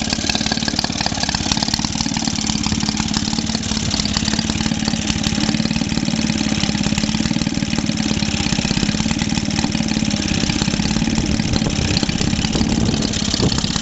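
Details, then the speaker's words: Maytag Model 72D washing machine single-cylinder engine, repaired after refusing to start: rapid putter runs steadily but slightly uneven while the mixture setting is still being sought. "Still can't find where she'll run the best though."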